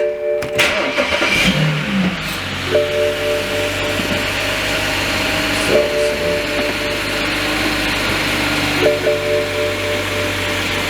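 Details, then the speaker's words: BMW 335i just fitted with an upgraded charge pipe and Tial blow-off valve in place of the plastic pipe and diverter valves; engine catches and settles into a steady, even idle with a faint turbo whistle. A normal start. "But yeah, I'm about to start it up, see how it sounds. I don't expect nothing different from startup."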